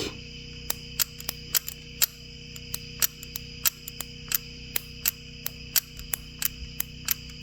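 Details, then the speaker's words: Coil hooked back up, engine not running: sharp irregular snapping ticks over a steady electrical hum as spark arcs out of the coil boot; losing fire through the coil. "sounds like I'm losing fire through the coil itself"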